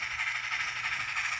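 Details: Model locomotive on a layout: steady, even high-pitched motor hum with soft rail whir and no catches or stumbles; running smoothly and nicely.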